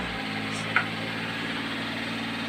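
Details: Engine idling after stuck PCV valve fix for white exhaust smoke: low, even hum, smooth unchanging beat, no misses or knocks; earlier noise gone.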